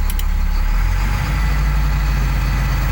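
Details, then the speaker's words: 2001 Cummins 8.3L ISC diesel with CAPS injection, after a faulty engine speed sensor fix and fuel lines bled of air: steady, even low rumble at cruise-set fast idle of 1000 rpm, no knocks, misses or codes; running normally. "let's go to a fast idle it's pretty cool turn the crews on hit the set"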